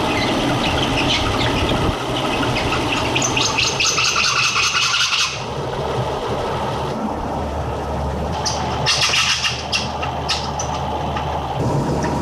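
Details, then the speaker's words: BMW 760Li V12 at idle after a coolant transfer pipe leak repair with the water pump removed and refitted, system just refilled, auxiliary pump not working: rough, hissy scraping in uneven bursts; water pump rubbing suspected. "What is that sound? I'm hearing a scraping sound. Wonder if that's the water pump scraping on the uh stances."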